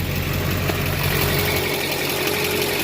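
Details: Duramax LBZ diesel truck after a Cat fuel filter change with an aftermarket adapter, no leaks: steady, even idle with regular low clatter and no misses or surging; runs clean.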